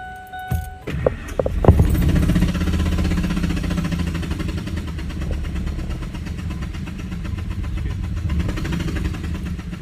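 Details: Broken-down truck cranked to blow metal shavings out of a cylinder: catches and runs with an uneven, lumpy beat of about four pulses a second, clearly rough and damaged.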